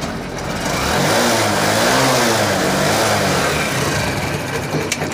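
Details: Honda Shine BS6 single-cylinder motorcycle, being diagnosed for a starting problem (ECM/fuel pump), after the fuel pump coupler and pipe were refitted, runs steadily and revs up and down smoothly with no misfire or stumble; it is running fine.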